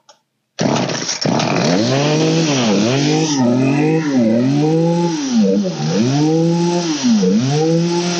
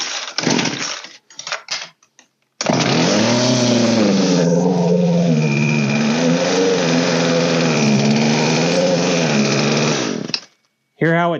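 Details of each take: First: Old green Poulan 3816 two-stroke chainsaw with 16-inch bar, after carburetor high/low mixture and idle adjustment: fires cleanly and revs up and down repeatedly without stumbling or dying; normal running. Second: Old Poulan 3616 chainsaw after carb work, low screw 1.5 turns and high 1 turn open: fires and runs with wavering sagging revs for several seconds then dies right away; idle speed set too low and needs raising.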